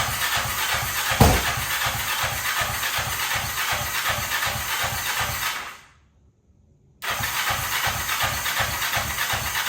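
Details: 2003 Kawasaki Ninja 500R twin swapped into mini bike frame, just retimed, dual carbs, chokes on, first start: uneven pulsing beat that drops out briefly then picks back up; revs fine but idle set too low, needs turning up.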